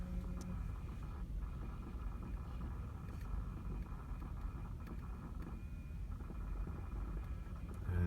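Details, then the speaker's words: 2012 Kia Optima EX 2.4L, 98k miles, after an hour's drive: steady low hum and faint whine with the ignition on and engine off; clicking also noticed afterwards. Cause unknown. "It usually comes on when the car's turned on, but recently I've noticed that it makes this noise even when the car is off and the battery's on."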